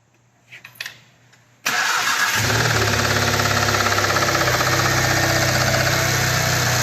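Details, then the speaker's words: 2017 VW Golf R (MK7) arrived on a tow truck with the low oil pressure light on: a heavy, steady knock about four per second at idle, worse with the clutch pressed. Pan removal found crank thrust washer pieces and metal shavings. Crankshaft thrust washer failure. "Pretty bad knock. And then you press the clutch in, and it gets worse. So, after checking it out, we actually pulled the pan down and found a piece of the thrust washer for the crank in the bottom of the oil pan with other pieces of metal shavings."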